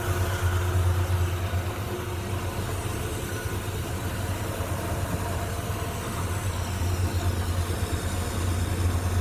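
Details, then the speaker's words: Late-model Grob 4V-36 bandsaw running at low speed setting L1. A steady, even low hum with no rhythmic tick from the blade weld; it runs smoothly. "L1, so it should be. You don't hear that blazing at all. No, not at all."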